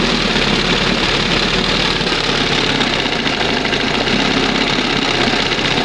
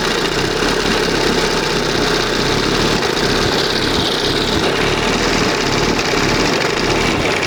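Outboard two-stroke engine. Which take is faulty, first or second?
second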